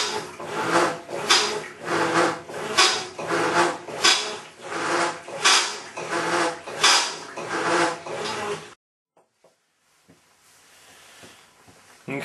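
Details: Maytag Centennial Commercial Technology washer, just over a year old and deliberately overloaded, during agitation: heavy gravelly grinding surging with each stroke, about 43 a minute, like a cement mixer churning gravel, quiet when agitation stops; grinding noise.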